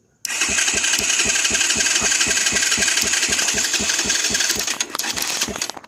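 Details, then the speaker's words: 200cc Chinese dirt bike (fake KTM), pins in key switch connector being tightened: rapid starter cranking about four beats a second without catching, cutting in and out when the black wire is flicked; loose, not fully seated key switch wire. "see as soon as i barely flick it it kicks see that red one i can move a little bit and it don't do anything"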